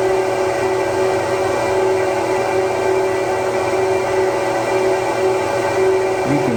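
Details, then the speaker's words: 2009 Apple Xserve, two E5520 2.26GHz quad processors, under continuous maximum load reaching 54 °C: loud steady whoosh with constant high fan whine, no rattles or pulsing; fans healthy and stay fairly low. "the fans stay pretty low around I don't not bad now this is way more continuous maximum load than I would ever put on it"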